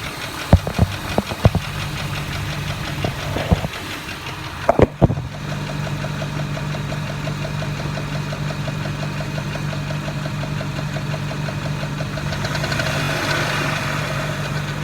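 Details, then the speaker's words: 2002 Jeep Grand Cherokee Laredo idling: a steady tick that gets busier and louder when revved. Owner suspects an exhaust leak, lifter tick or rod knock; unconfirmed. "alright YouTube anybody told me what this sound is oh no ticking sound I'm gonna shut up so you can hear me"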